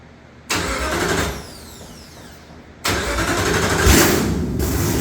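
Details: V8 with Holley electronics, just after an oil filter change: cranks and catches with a sharp bark, then settles to a loud, lumpy idle with no knocks or rattles; normal, healthy start and idle.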